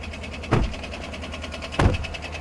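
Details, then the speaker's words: Well-used triple-black pickup truck at a dealer auction, idling with the hood open. Fast, even ticking with two heavier thumps rides over the idle. Not thought to be an exhaust leak; a rod or bearing failure is suspected, not confirmed. "Well, that is definitely a tick. That's a lot of ticking. That's a lot of ticking. And I don't think it's an exhaust leak."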